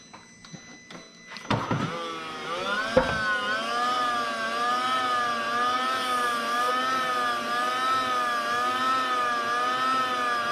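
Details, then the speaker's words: 2001 VW Jetta secondary air injection pump during active test: clicks, then a smooth steady electric hum, quiet with no air leaks, pump healthy. "nice and quiet sounds good it's not leaking air anywhere"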